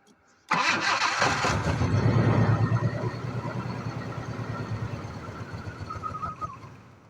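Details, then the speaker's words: 1986 Jaguar XJ6 sitting two years: steady starter cranking about three beats a second, slowly losing pace, never catches; fuel pump pressure measured very low, pump to be replaced; crank no start. "the pressure is not too much the problem may we change the pump we see the the pressure of the pump is very low so we have to change the pump and see how it will work"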